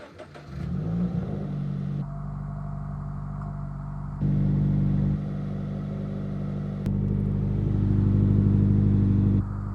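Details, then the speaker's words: Subaru BRZ with resonator delete and muffler delete, started after an oil change to cycle the oil: starts cleanly, flares up, then settles to a deep, booming, loud idle with a few blips. "It's a little loud. All I have on the setup is a resonator delete and a muffler delete, but that's about it."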